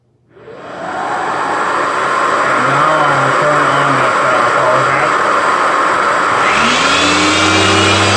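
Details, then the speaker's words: Electrolux vacuum cleaner power head tested plugged in: rushing airflow spins up to a steady even whine with faint brush hum; power head found fine, fault was in the hose handle. "so during my investigation I found out that this power hat is actually all good"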